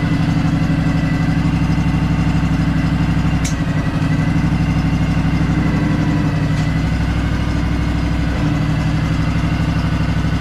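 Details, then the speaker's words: Craftsman DLT3000 lawn tractor with its factory Honda 16.5 hp single engine, reported as a non-starter, starting on choke: small single idles with a steady, even putter of about four beats a second and no misses; smooth and quiet. "he's moving that is incredible it's running really smooth too it's super quiet"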